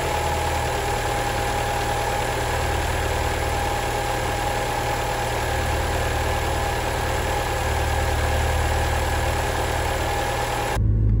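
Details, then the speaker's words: Alfa Romeo 159 at idle: a rough, dry, diesel-like clatter over a steady idle. The owner suspects a failing oil-operated variable valve timing gear component; unconfirmed. "that's because there is something called like the uh so these have variable valve type right and there is uh there is a component which i don't really know what's the name of it looks like some sort of gear with some oil operated components and that thing if it starts failing your your alpha will sound like a diesel"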